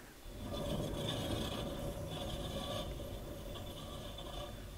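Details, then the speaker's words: Alfa Romeo 156 GTA rear wheel spun by hand on a lift, handbrake released, giving a rough continuous rasp from a worn, rusted rear wheel bearing; the disc also appears warped. "Tu vois, c'est celui-là qui est HS, c'est certain."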